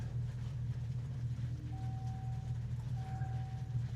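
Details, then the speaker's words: 2024 Dodge Charger Daytona EV after a dead 12-volt battery was boosted, now showing ready: low, steady Fratzonic synthetic exhaust rumble with no stutter; the artificial exhaust sound is playing normally. "We have ready. It has started this time. You can hear that fret sonic."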